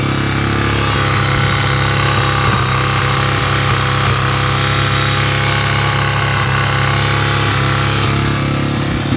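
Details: 2001 Yamaha TT-R 225 single-cylinder engine idling with a light, fast tick over its steady thump; the cause is unknown.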